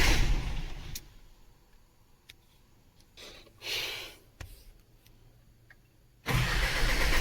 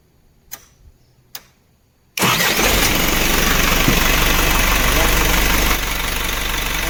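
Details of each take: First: Isuzu diesel with battery fine but not starting; starter cranks steadily about three seconds with no firing; engine stop motor suspected still holding fuel off, to be checked for current. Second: Isuzu diesel engine that would not start because of a bent fuse in the engine stop motor circuit. With the fuse fixed, quiet clicks lead to the starter catching at once and a steady, even diesel idle with no misses.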